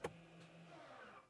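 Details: Renault Scenic 3 1.5 dCi electronic parking brake after the seized right caliper was manually released and its motor replaced: a click, then an even low motor hum for about a second that stops cleanly; it applies normally, with the scanner reading 17.6 and 17.9 on the two calipers.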